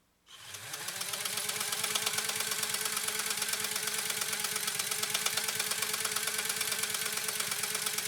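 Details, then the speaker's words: Restored PFAFF 130-6 sewing machine doing decorative stitch sew-off: light quick even ticking about three per second, no knocks or grinding — smooth, quiet normal running. "Let's go ahead and do this final decorative sew off. Here we go. Isn't it quiet?"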